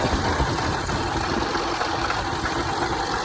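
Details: Land Rover/Range Rover 5.0 or 5.0 supercharged V8, 2009, at idle: busy, clattery idle with a loose metallic rattle from worn timing chains and slapping guides, bad enough to set a cam position code; timing chain rattle.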